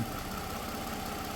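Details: 2009 Toyota RAV4 at idle with code P0354, check engine and traction control lights on: steady idle with an uneven, lumpy pulse and a brief stumble. Intermittent cylinder 4 ignition coil dropout, caught on a lab scope but not on a scan tool.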